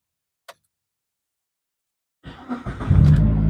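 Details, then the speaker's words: Old Proton Persona, formerly hard to start with erratic RPM: a click, then it catches promptly in one go and settles to a smooth, steady low idle, RPM good, no check-engine light. Normal start and idle. "Dia senang hidup RPM pun cantik ya. So tiada isu di sana."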